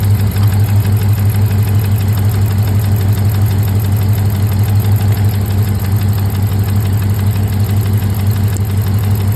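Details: 6.4 Hemi V8 idling with a steady uneven lope, about three low thumps a second, from one dead cylinder; misfire persists after coil pack change, owner suspects fuel or pushrods.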